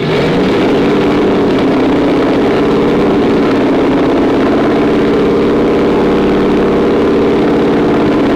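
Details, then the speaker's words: 2011 Ford Mustang GT, first startup of a brand-new Coyote V8 after a full refresh, data logging on: a deep, steady V8 rumble with an even beat and no knocks or ticks, exhaust pulses bouncing off the concrete. Normal running. "do you guys can't hear it but this thing rumbles like it's never Rumble before yes I mean the exhaust pulse is hitting the concrete and coming back at us"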